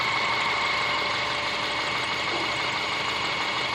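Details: Subaru Forester SG5 with EJ25 engine: busy, ticking idle with faint, uneven tapping buried in a bright clatter; knocking at idle, cause unknown.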